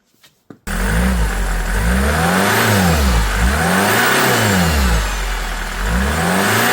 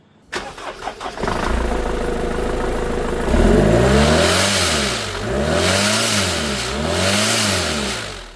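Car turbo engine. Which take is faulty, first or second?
second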